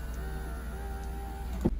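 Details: Nissan Titan/Armada power window after greasing the regulator tracks to cure squeaking: faint even motor hum with no squeak, ending in a soft thunk at the stop; window runs smoothly.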